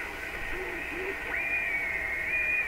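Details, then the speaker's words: AM radio tuned near a 680 station and fed by a BK 3030 sweep generator; a steady whistle near 2 kHz sits over the hiss and steps when the sweep changes, a heterodyne tone suspected from two generators mixing. "you can hear the heterodyne tone okay hopefully that's the right term for it"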